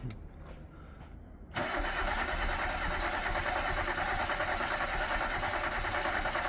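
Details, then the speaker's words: 1990 Ford Festiva, chopped and shortened, unused for about a year and a half, with fresh fuel and a good battery: the starter churns steadily at about three beats a second but the engine never catches; owner hears no fuel pump. Cranks, no start. "Let's see if it starts. No fuel pump?"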